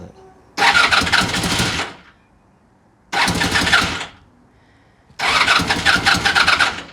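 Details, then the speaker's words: Honda VF1000F motorcycle, old bike being revived, first start: lumpy, uneven bursts that surge then die off when revved; running on only two cylinders, the two rear cylinders not firing. "Sounds like it's running on two spark plugs. When I rev it, it goes out. So, back ones are not working."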